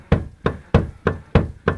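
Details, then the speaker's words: Renault Logan suspension, arm rocked by hand in garage: six sharp hollow knocks about three per second; worn ball joint found after stabilizer links and CV joints checked fine. Ball joint knock. "потрясли за рычаги и слышим и видим конкретный стук шаровой Вот посмотрите как такое бывает"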